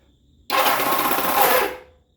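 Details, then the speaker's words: Kawasaki KZ650 cafe racer, newly rewired, pressing the start button: about a second of harsh, rapid metallic clatter. Not the starter motor itself but the parts it engages with, likely a roller and pin; clutch housing must come off. "yeah so now i gotta pop the clutch housing off and fix the uh starter uh it's not the starter itself it's the stuff that it engages with"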